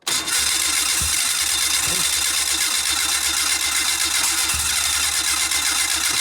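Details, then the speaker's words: Fuel-injected four-stroke snowmobile, 30 days underwater after breaking through ice, water drained, plugs dried: steady starter cranking with a few isolated pops a second or more apart, never catching; it has spark but won't run. "all right well she's got sparks she popped a little bit so that's better than nothing"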